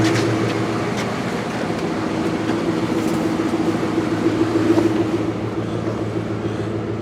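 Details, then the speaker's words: 1998 Jeep Grand Cherokee Laredo after fuel tank replacement, warming up at idle: smooth, even idle with a steady low hum, no knocks, ticks or misses; runs, charging. "let's go take a look and see what it says on the inside it runs"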